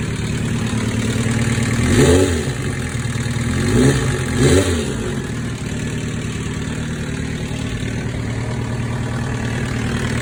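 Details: 2005 Kawasaki ZX-10R sport bike idling with three throttle blips: a loose, busy engine rattle under the exhaust note.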